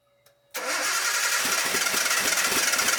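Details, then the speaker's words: Salvage Nissan R34 with a donor engine and wiring swap, first start attempt: steady cranking, about four pulses a second, that never fires; later traced to too little 12-volt power, and the fuel pump, wired via jumper cables, still unfixed. "So it was a power issue, just not enough 12-volt power being delivered to it. That was fixed. Next was my fuel pump."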